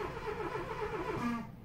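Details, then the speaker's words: 2002 Renault Clio II crank no-start after a flat battery and recharge. With the red immobilizer light staying on, the starter churns with a rising whirr that dies away without the engine catching. "so he goes in and the red light goes on and stays on when I crank it over it does that so I didn't let go the key it just cranks"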